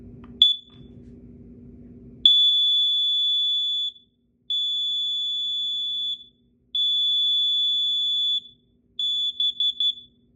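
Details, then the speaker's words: Kidde KN-COEG-3 plug-in 120 V AC explosive gas and carbon monoxide alarm in self-test mode: loud piercing high beeps in long blasts while it simulates CO readings. The test passed normally. "As you can see, this thing performed its test. The alarm operation was good and this unit was insanely loud and and it did the fake readings efficiently."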